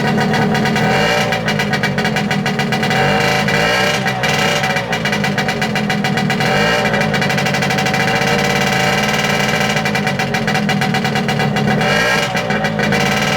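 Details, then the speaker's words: Late-1960s/about 1970 Yamaha P125A two-stroke outboard, first start after rebuild, on a stand without impeller: buzzy crackle at fairly steady speed with slight wavering; normal running, mixture may need adjustment. "Right, job done. Well, that was pretty successful."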